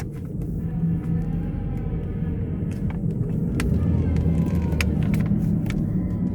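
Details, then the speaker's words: Ford C-Max/Fusion Hybrid with the gas engine running: heavy low roar with a faint steady whine, sounding like roaring transmission bearings, believed to come from the generator motor; it needs a transmission replacement. "it sounds like the bearings are roaring inside the transmission too"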